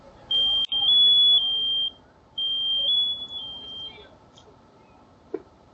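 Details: Carbon monoxide detector sounding in a house, high shrill chirps near 3.5 kHz in long on-off bursts; first suspected a low battery, but real CO was found, about 50 ppm in four bedrooms.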